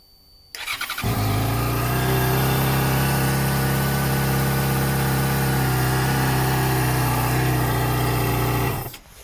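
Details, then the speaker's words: 2014 Yamaha XJ6S Diversion, under 12k miles, after reconnecting an unplugged connector found during diagnosis: it catches quickly and settles to a steady, even idle with a smooth low thrum. The engine management light is still on. This is a normal idle. "But it does look like, yeah, good fix."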